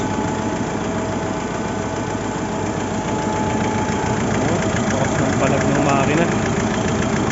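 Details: Mitsubishi Montero diesel with no check engine light and no fault code, fuel rail pressure reaching 50,000 kPa at idle: a loping knock about three times a second that keeps missing its beat. Misfire at idle.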